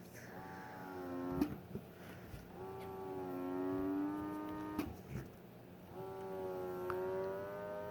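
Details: Motif Twist breast pump double pumping at max strength: slow repeating cycle, rising motor tone about two seconds then click and release, pulling strongly and slower than single pumping; running evenly, normal.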